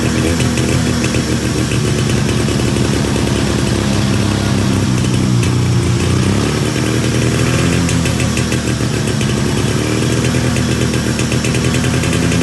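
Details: 1991 Arctic Cat Super Jag two-stroke snowmobile after carburetor rework (bent float arm, flooding needle): rapid popping beat holds steady, revs briefly and settles back; engine fires and runs evenly.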